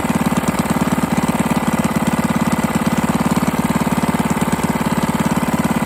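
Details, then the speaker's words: 98cc single on its first run after a rebuild with used but better-condition parts and a cylinder hone. It no longer smokes. A regular knock rides every firing stroke at a fast steady idle, pointing to bottom end noise; the owner also suspects the carburetor needs cleaning. "It's got some bottom end noise. I'm hear it. I don't know."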